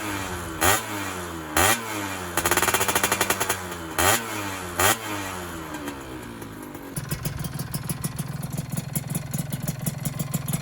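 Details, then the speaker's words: Freshly rebuilt two-stroke engine, first run, still cool, box air filter, RTX exhaust: revving blips then idle with fast even light ticking that goes away when revved; owner hopes the piston-slap noise disappears once the piston heats and expands. "Nah sekarang ini agak sedikit adem teman-teman, kritiknya ya kalau panas. Ya mudah-mudahan nanti bunyinya hilang ketika pistonnya udah ngembang."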